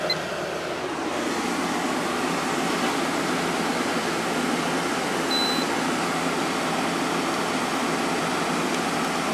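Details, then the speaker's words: Window air conditioner started on cool, low fan: a soft, even hiss and hum with no rattles. The compressor is very quiet at first and gets a little louder over time, drawing 4.28 A and 511 W, and cools quickly; it runs normally. "yeah the compressor started this one is very quiet at first it does get a little louder over time"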